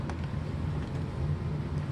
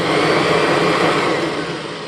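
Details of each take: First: 1996 Kirby G4 vacuum, transmission in neutral, after refurbishment with new front and rear motor bearings: even, low motor hum, totally quiet, no more snoring or clacking; normal running. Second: 1996 Kirby G4 vacuum before refurbishment, transmission in neutral; motor whine fades for about three and a half seconds after switch-off, excessive wind-down time; worn front and rear motor bearings.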